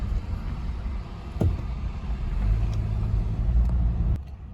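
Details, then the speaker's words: 2013 Honda Accord petrol engine after one tank with Liqui Moly fuel system cleaner: smooth steady 800 rpm idle without earlier sub-800 rpm shaking, a low even rumble with no misfire. "میں نے gas کا ایک مکمل tank استعمال کیا ہے جس میں Liqui Moly تھا، اور ایسا لگتا ہے کہ یہ یہاں کچھ اچھا کر رہا ہے کیونکہ RPM 800 ہے اور مستحکم ہے اور اب ہلتا نہیں ہے۔"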